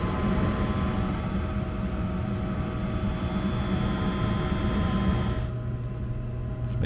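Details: Steady, low hum of the inducer and burner from a 90% Lennox furnace running normally with no gurgling, after a pressure-switch fault was cleared by clearing clogged drains and priming the condensate trap; steady drip after about 10 minutes.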